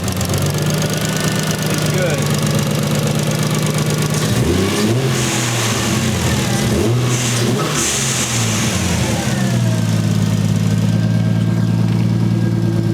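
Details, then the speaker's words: 1JZ VVTi-swapped Nissan 240SX being revved before the fix: an uneven, stumbling idle with lumpy, choppy revs as one cylinder keeps dropping out. A cylinder 4 misfire from an injector plug not seating and faulty injector wiring. "so the car still misfires as we all expected but the headlamps look sick bro so this sound is bad"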